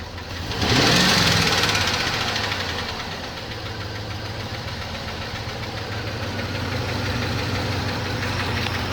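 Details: 2007 Chevrolet Trailblazer LT V8, 119,000 miles, idling and lightly revved after motor flush: fast light ticking keeping pace with revs; collapsed lifter persists, DOD eliminator lifter and cam kit planned.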